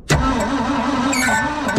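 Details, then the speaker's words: 1971 Ford F600 manual U-Haul box truck, long sitting, cranking with plugs in on a jump pack: starter spins at steady pitch with even compression pulses; healthy crank, possibly slightly low compression on one or two cylinders. "That sounds like a really nice crank. I'm very happy with that crank. That sounds nice."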